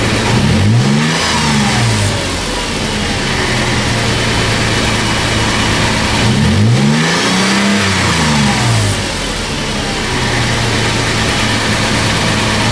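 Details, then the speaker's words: Toyota FJ Cruiser on a test drive after swapping the rusted OEM exhaust for a new MagnaFlow 16649 cat-back (2.5-inch stainless, mandrel-bent): two clean revs rising and falling smoothly, deep throaty tone, no drone at steady speed; sounds robust and healthy. "Sounds good. I like it. It's got a little more note to it. some throat. Doesn't drone out and get weird. I like it. Sounds robust."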